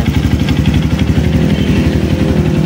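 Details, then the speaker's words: Honda CRF150 after oil-starvation rebuild, first start after a week sitting, weak battery; even idle with chuffing tick each exhaust stroke, nothing deeper knocking: exhaust leak at header pipe. "So bale singaw lang yung kanyang tabutso dito."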